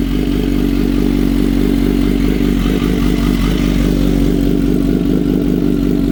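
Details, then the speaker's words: Kawasaki Z H2 with a newly installed Brock's Performance Penta carbon black full exhaust, morning cold start: loud, steady, even burble at a slightly raised cold idle with no knocks or rattles. Healthy. "So I'm gonna let you guys hear it on a cold start this morning, and then we shall end our video. We'll have other videos where we show it out on a ride. Okay. It is mean. Video does not do it justice."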